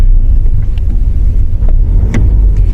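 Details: 2015 Audi A4, 83,000 km, on road test with throttle blipped: a few sharp isolated clunks over low road rumble, felt through the pedal; engine mount suspected.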